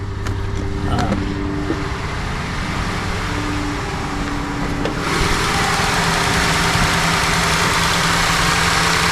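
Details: Ford F150 EcoBoost after replacing fuel injectors that were dumping fuel: steady, smooth idle with low hum and no knocks, misses or ticks, still running rich burning off raw fuel; running healthy.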